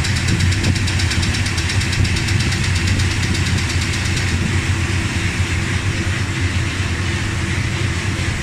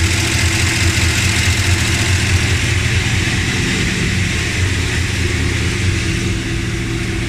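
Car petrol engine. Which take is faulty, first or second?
second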